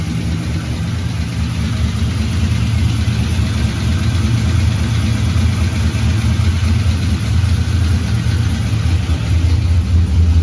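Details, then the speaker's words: 1984 Ford F150 V8 after several months with underhood harness out, number 8 spark plug replaced: steady, even low idle rumble with no ticks, misses or knocks; 64 psi oil pressure, run briefly with no coolant; earlier noise gone, likely the plug. "Seemed as loud as it did seem, so maybe it's good. I know I missed that noise."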